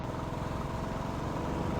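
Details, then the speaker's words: Royal Enfield Standard 350 during a mileage test as the petrol runs out: the single-cylinder thump runs unevenly, beats dropping out, before the engine stops; misfire from fuel starvation. "Missing വന്നിട്ടുണ്ട്, missing വന്നിട്ടുണ്ട് കേട്ടോ. വണ്ടി ഇപ്പോൾ നിൽക്കും."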